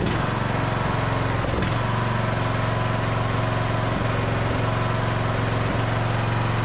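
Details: Craftsman DLT3000 riding mower with a Briggs and Stratton engine, non-starter now running after fuel tank flushed and fresh fuel added: strong, even single-cylinder chug at steady speed, no stumbling or surging; normal running.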